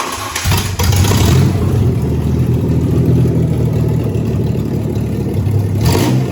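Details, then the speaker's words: Ranger build, started by jumping the starter after replacing the ignition coil: short crank, then clean revving and a smooth, strong, even run with no miss. Earlier rough idle and misfire were fixed by the new coil. "So, in case you can't tell, night and day difference. Absolutely 100% improvement just simply by changing the coil, which is absolutely dumb and absolutely aggravating because we've spent so much time working on this and trying to get it right."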